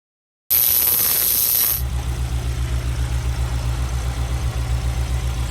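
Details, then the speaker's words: Honda S2000 at idle: a brief hiss, then a lumpy, uneven beat of about four pulses a second suggesting a misfire, probably from two tight valves. There is also an exhaust rattle from a broken Amuse titanium resonator. "Sounds like a miss. It's got that so it's here for a valve adjustment and a rattle in the exhaust. You hear that? So it's essentially got a misfire. It's probably two tight valves."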